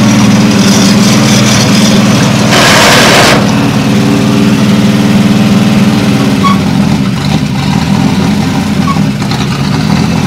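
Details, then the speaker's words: Caterpillar D2 crawler with Holden 202 petrol six and Stromberg carb: loud, uneven wavering running with brief surge; owner suspects fuel starvation after earlier flooding, fuel possibly gone off, gaskets poor. "stop going to take the top off the carburetor I think it's running out of fuel now it's before it was flooding now it's not keeping up with it"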